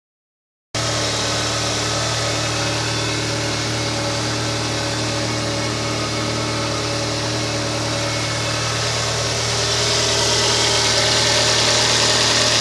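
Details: Kia Spectra at steady idle: a constant hiss-like whine with faint, even pulsing; the owner suspects a bad alternator, not confirmed.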